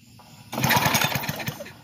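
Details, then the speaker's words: Bluebird aerator small pull-start engine, bought non-running, brand-new spark plug: one quick pull spins it over with rapid even compression chuffs and no fire; no spark with kill switch off, kill wire and coil to be checked. "All right, I think that's grounded pretty good. Nope, no spark. The kill switch is not on."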